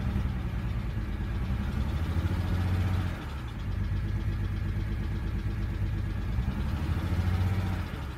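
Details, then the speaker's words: BMW 135i E82 N54 idling after engine rebuild with P0306 cylinder 6 misfire: deep steady idle with faint uneven exhaust pulse; owner suspects an old ignition coil on cylinder 6. "so misfire cylinder 6 seems to be a big problem for now so that might be an old one"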